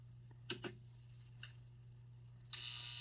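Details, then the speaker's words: Energized sprinkler valve solenoid on a 4-zone timer, zone 1 wired to common: steady low buzz as the plunger pulls in, a few clicks and a sudden hiss, plunger pops back out when switched off; normal operation. "and you see it pulled in that little plunger on the bottom you can hear it buzzing turn it off plunger pops back out"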